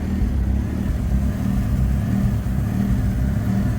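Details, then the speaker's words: 40-year-old Ford Capri turbo, cold, started after 15 months off the road: the idle throb keeps swelling and sagging instead of settling, hunting while it warms. "It's hunting a bit."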